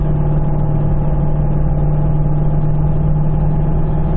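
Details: Car at highway speed, about 70–75 mph: a howling, steady low drone over road rumble that starts above 60 mph under throttle, from a failing wheel bearing; side unclear, to be located by measuring hub temperatures with an infrared thermometer.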